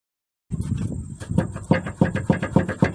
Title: What A Bad Sway Bar Bushing Sounds Like & How To Replace #autorepair #mechanic